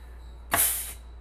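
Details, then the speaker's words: 4L80E transmission on the bench, for a 1963 Pontiac Star Chief with 6.0 engine, customer rebuild with no reverse: short sharp half-second air hiss as air applies the overdrive clutch, then quiet; normal. "Applying our overdrive clutch there, and you can hear here we're applying a clutch, and then we can apply another one too here."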